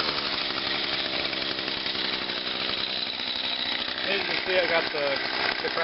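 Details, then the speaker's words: Small single-cylinder engine, cold start with choke and about 5 primes, last run Monday; chatters along at a steady, busy pace without misses or stumbles, so it starts and runs normally. "So I'll just put the plug back in and we'll do a little cold start. Alright, so let's start it up."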